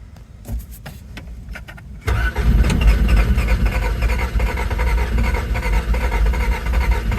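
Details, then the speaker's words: 1987 Toyota MR2 that previously ran, cranked on a makeshift battery after a suspected oil pump leak: starter churns steadily about three turns a second but engine never catches; crank, no start, owner suspects low or poor gas. "You know, it didn't start. We had it starting before and now it doesn't."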